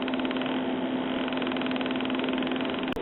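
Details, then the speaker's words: 1974 RCA 9-inch black-and-white vacuum-tube TV, back cover off, no vertical deflection: steady buzz with rapid flutter from the vertical output transformer, not the yoke; pitch changes with vertical hold control. "that vertical frequency that you hear is not coming from the Y it's coming from the vertical output Transformer down here"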